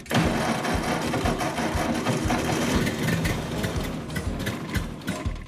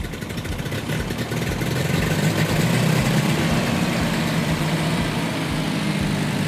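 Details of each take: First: Ford 8N tractor with settings reset to factory and timing advanced from 0 to 4 degrees BTDC; uneven chugging about two beats a second, firing raggedly and stumbling without settling, engine flooded and hard to start. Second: Ford 8N tractor engine after settings redone and timing advanced from 0 to 4 degrees BTDC; deep low chug picks up and settles into a steady run with no misfires or knocking; running properly.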